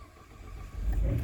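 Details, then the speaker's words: 2015 Ford with an intermittent no-start. With the key held in the on position, the blower comes on, and when it does the car usually starts. A brief quiet crank, then it catches into a low rumble; cause undiagnosed. "started don't know what the relationship is but if the blower comes on once I do this then the car will start"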